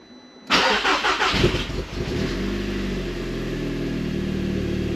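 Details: Audi TT Mk2 8J TFSI, original turbo actuator, 120,000, after fitting a Scorpion downpipe and realigned tailpipes, checked for exhaust leaks: short crank, catches, steady even idle with no ticking or puffing; sounds different, possibly quieter, normal start.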